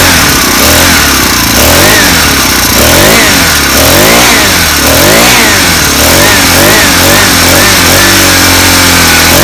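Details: First start of a 49cc four-stroke engine kit fitted on a bike; buzzes, repeatedly revs up and drops back cleanly, settling to an even idle: normal running.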